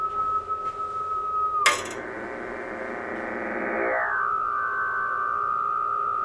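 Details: Homebuilt JFET (J310) Hartley oscillator/VFO: a steady RF whistle smears and wobbles in pitch right after the coil is tapped with a marker, then settles back; the coil is microphonic and the oscillator extremely vibration-sensitive.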